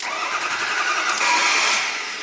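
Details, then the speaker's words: 2003 Ford F450 wrecker, 6.0L PowerStroke diesel, 56k miles, crank no-start with electrical glitches: harsh thin cranking jumps into loud grinding as the starter drops out and re-engages; engine never coughs or sputters. "And you hear that grinding sound like the starter kicked out and then kick right back in while the engine was trying to spin. And that's what's, you know, that's a problem."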